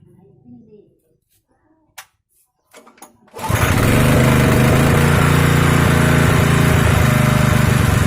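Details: Honda GX160 small single-cylinder engine after fuel got into the oil and combustion chamber, oil refilled, camera facing the exhaust: quiet, then it starts at about three seconds and settles into a steady even run with no misses.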